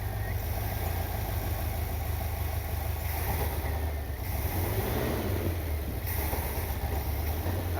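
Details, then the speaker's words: 1979 Corvette V8, just rebuilt and running, with ignition timing suspected still one tooth off after an adjustment and internal backfiring: deep, lumpy, unhappy idle rumble, better than at the previous start; rough running. "Yeah, you can just tell she's not happy. But it's running better than it did the other day when I tried to start it."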